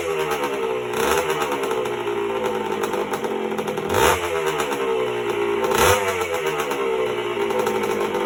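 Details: 1977 Honda CR125M Elsinore two-stroke just after a top-end rebuild (piston circlip had come off), not yet heat-cycled: crisp running with clean, even throttle blips, no rattle or misfire. Normal running.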